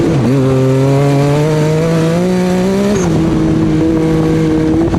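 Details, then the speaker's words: Off-road buggy engine running poorly during an off-road trip: note climbs and dips under throttle with a rough, uneven edge and heavy popping; cause unknown. "So at this point, something is not running right with the buggy, and listen to how much popping this engine is doing."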